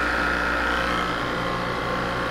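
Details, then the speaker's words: Freeze-dryer vacuum pump after replacing a leaking shaft seal that was drawing in air, motor recoupled and running: an even, steady motor hum with no rattles, running normally. "start it up i don't know if you can see that or not but it's working it's running"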